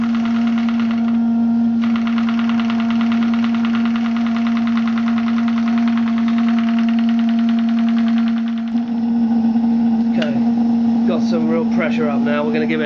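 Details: Graupner 5000 gas-fired model steam engine driving a pond water pump, at about two bar after condensate cleared from the cylinders: rapid even chuffing over steady hum, no knocks or stumbles; running cleanly, pumping well.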